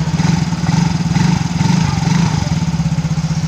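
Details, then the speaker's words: Yamaha Mio GT scooter engine that was smoking, after replacing only the piston rings without replacing the block: smooth, even putter at idle with gentle swaying beat, no ticking or rattle; normal healthy idle. "ini sudah saya buktikan cuma ganti ring Piston aja tanpa ganti blok sudah bisa halus yang betul jadi harus kembali semula ya"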